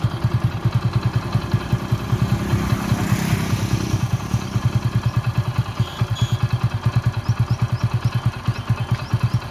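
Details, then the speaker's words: Hero Passion Pro motorcycle after a full engine rebuild, sounding very different from before: single cylinder thumps evenly at idle, swells smoothly with a brief throttle rev and settles to a steady beat; normal running. "First వచ్చిన sound కి ఈ sound కి అయితే చాలా అంటే చాలా తేడా ఉంటది."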